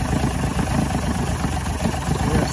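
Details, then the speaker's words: 1986 Force 85 hp outboard on Bayliner Capri, warm in test barrel, air mixture screws adjusted: uneven lumpy low-speed running, wavering as if about to stall in gear; wet leaking carbs, rebuild suspected, not confirmed. "i mean it is working now it is actually performing but it looks like it wants to stall it's running kind of rough"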